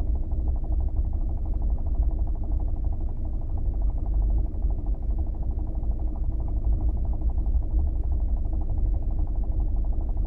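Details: New Kia Optima: steady low engine drone with a fast, even ticking knock at constant speed; dealer claims the knock is a normal engine trait, source not pinned down.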